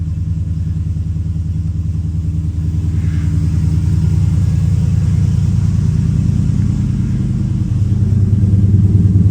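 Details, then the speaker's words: 2005 Chevy Silverado 1500 5.3L V8 with Texas Speed Chopacabra cam, Speed Engineering long tubes and 3-inch single exhaust, just started cold: deep idle with choppy, uneven lope; normal cammed V8 lopey idle. "Oh, start to hear it starting to chop. Yes, sir, starting to chop."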